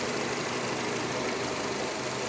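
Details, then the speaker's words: Nissan Terrano / Renault Duster 2.0 engine, 47,000 km, idling an hour after repairing a valve whose rubber membrane was torn, which caused squeaking and chirping: steady, even idle with smooth hum and no squeak, chirp or ticking. "Всё работает без посторонних шумов."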